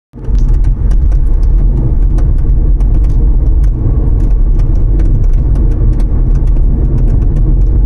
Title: Proceed rattle noise trunk